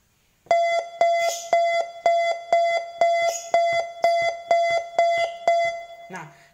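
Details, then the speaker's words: Mitsubishi Grand jimny/emsal car: a clean electronic chime about two beats a second repeating steadily for roughly five seconds then stopping, the warning chime heard after acceleration. "Biasanya kalau kamu kira itu bunyi pada setelah akselerasi Emang bunyinya seperti ini"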